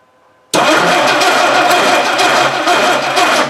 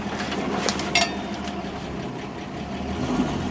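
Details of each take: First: 1960 Dodge Dart Seneca with a newly installed engine after 10+ years of storage, fuel poured in the carb, no choke: starter spins fast and even for about three seconds with no firing; the distributor drive gear is missing. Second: 1960 Dodge Dart Seneca with newly installed engine after over 10 years in storage, first drive on slushy road: engine pulls steadily and evenly, road and slush noise rising, no knocking; running normally.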